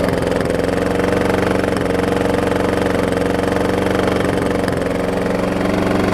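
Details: Troy-Bilt self-propelled mower with a blown Briggs engine, smoking from blow-by, run wide open. Steady small-engine beat with a dull knock on top: engine knock.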